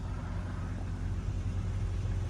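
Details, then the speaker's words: Jeep Cherokee idling just after starting following 5 years sitting on old bad fuel: quiet, smooth, steady low rumble with no ticking or knocking; battery at 14 volts, oil pressure present, sounds healthy. "after 5 years she's running I wasn't going to start it but it started and look bro after 5 years that's crazy and it's quiet healthy what the hell woo talk about a cold start he no way 5 years 5 years and it's quiet as a whistle with old bad fuel"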